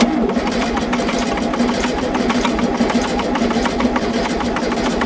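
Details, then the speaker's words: 1973 VW Super Beetle engine cranking during compression test (about 125-130 psi): fast, regular clatter about six hits a second; bottom-end knocking, wrist pin suspected, not confirmed. "Got a noise in it. Yeah. Imagine with all that shit missing bolts and shit. But you mean in the bottom end? Yeah, it sounds like it's got a blower end noise. Maybe a wrist pin."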